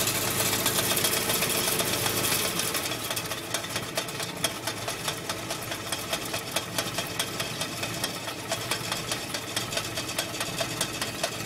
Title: Willys MB Maltournee Clutch Rattling Noise